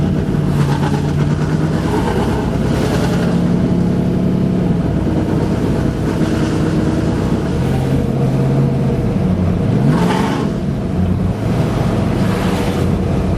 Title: Misfire/stumble